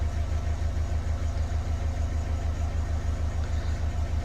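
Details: Renault Kangoo diesel K9K, complaint of no pulling power, after reassembling accelerator pedal sensor wiring, no error codes: even idle pulse about two hundred beats a minute, no misfire or knock; normal idle.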